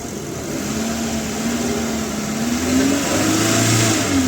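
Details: Maruti Super Carry on CNG after gas ECM repair fixed P0300/P0301/P0303/P0304 misfires and dead injector 3: engine note climbs smoothly when revved, no stumbles or missing, no trouble codes.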